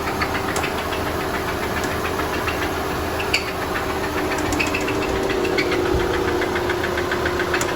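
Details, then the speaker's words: Audi 2.0T TFSI during water pump replacement: sharp, irregular metallic ticks over steady idle drone, deep bottom-end knock; suspected rod knock, engine believed junk, only briefly run to avoid locking it up. "definitely sounds like a rod knock something's not so happy in the bottom end"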